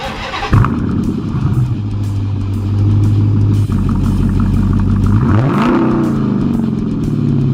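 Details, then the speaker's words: Dodge Challenger RT 5.7 V8 started right after installing a K&N air filter: fires and settles into a deep steady rumble, smooth rev rise and fall, no misses or knocks, audible intake sucking; normal start-up and rev. "You can hear a little bit. It does sound like it's sucking in air, but one more time."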